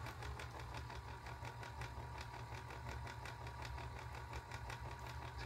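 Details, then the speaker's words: Singer 431G free-arm with internal motor converted to low voltage, at slow speed: low steady purr with fine regular ticking; suspected debris in the channel, to be cleaned, click expected to go; gear drag purr. "a bit of a purr what that is I think there's something in that the channel there I'll clean that off"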